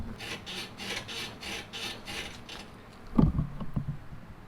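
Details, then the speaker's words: Toyota Tacoma with Old Man Emu Dakar heavy-duty leaf springs rocked: dry rhythmic creak about twice a second and a few clunks; squeak persists after new greasable shackle pins and pressure washing, fix failed. "are still squeaky so an update on the tacoma leaf springs was a complete fail we replaced the pins and that did that did not help at all"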